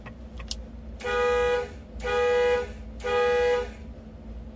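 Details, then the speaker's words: Newly installed high-water bilge pump and alarm on a Pursuit 385 Offshore boat, tested after the solo pump: three loud, steady-pitched horn blasts about a second apart with quiet gaps; the high-water alarm works. "let's plug in our other one that was our normal one this will be our high water right here it's gonna make it yell at us"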